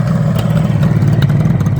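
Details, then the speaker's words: 1978 Kawasaki KH400 two-stroke triple after storage, earlier running on two cylinders, after carburetor work: steady, even burble at fast idle with no missing beats; now running on all three cylinders. "yeah I think I think it is and now it's running on three"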